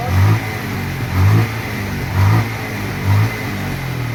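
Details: Bajaj Pulsar 150 after petrol tank cleaning for misfire, weak battery: single cylinder picks up cleanly and drops back, four even throttle blips about a second apart, no stumble or popping.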